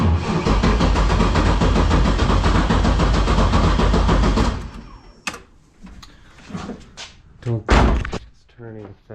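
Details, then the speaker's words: LS-swapped Toyota GT86 with 5.3 V8 (freshly ported heads, valve job), after sitting and an ECU wire short from a fire: starter drags slowly, about two labored beats a second, no start; owner suspects the battery cable is too small. "trying to get some oil pressure i think the battery cable is really small so it's making it start kind of weird"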